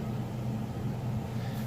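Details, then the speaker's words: Whirlpool Cabrio electric dryer, all bearings replaced and fully serviced, running on normal cycle with 36 minutes left; low even rumble and hum from drum and motor, no knocking, squeal or scraping. Runs perfectly, normal. "It's been running a little bit. You can hear it sounds perfect, runs perfect."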